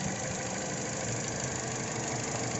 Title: TOYOTA ALTIS, ISSUE ROUGH IDLE AND ACCERELATION. IGN. COIL PACK PROBLEM, PLS. WATCH THE VIDEO.